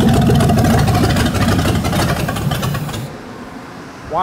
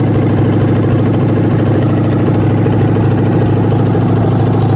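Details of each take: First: Ford 302 V8 for a 1967 Mustang, started after timing was backed off, fuel line still disconnected: steady low beat for about three seconds, then sags and dies; stalling from fuel starvation. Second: 1967 Ford Mustang 302 V8 on an engine stand after cam break-in, open exhaust, mixture screws 1.5 turns out: steady, slightly lumpy idle, rough-looking because hard mounted to the stand; 23 inches vacuum, 21 at low idle, timing about right.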